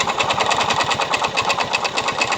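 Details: Yamaha Mio Soul i 125 scooter idling with the CVT pulley set removed; sharp regular knock locked to engine speed persists; owner blamed the pulley, drive face and back plate, but the mechanic diagnoses a worn connecting rod.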